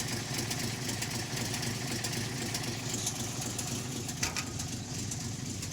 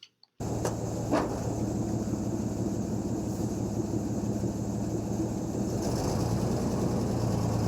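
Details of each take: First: REO M-35 truck petrol engine, cold, with a blown head gasket: uneven idle skipping at least one, probably more cylinders; idles only while cold, stalls when warm without blipping the throttle. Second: REO M-35 truck before head gasket problems: steady, throaty petrol engine idle with light upper-end valve clacking, normal stable idle without throttle blipping.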